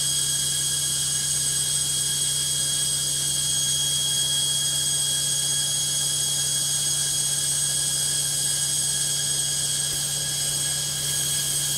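A steady, loud roar with a high whine held through the whole fast spin, far noisier than a washer should be; cause not yet pinned down.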